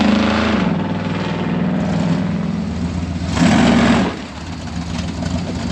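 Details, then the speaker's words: Lifted off-road recovery rig with new exhaust and new MSD ignition system; uneven V8 pulls away with lumpy, popping rev rise, still popping and sputtering on take-off; timing judged a hair off, better low end than before. "But when you take off, it's still doing that pop and sputter."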